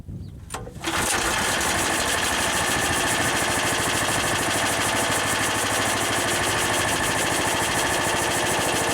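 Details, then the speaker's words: Harbor Freight air compressor with newly installed, broken-in replacement pump: loud continuous hiss over fast, even pump chatter of unchanging pitch; unloader venting all the air so the tank isn't filling until pressure drops. "so that like hissing sound that you hear is the unloader it's venting out all the air it's not filling up the tank"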